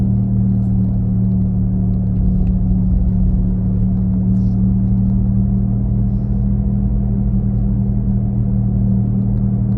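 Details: 2017 Nissan Leaf: steady deep hum with two low droning tones, engine-like rumble from the rear while driving, loudest at 40-50 km/h but present at other speeds; cause unclear, owner asks if normal.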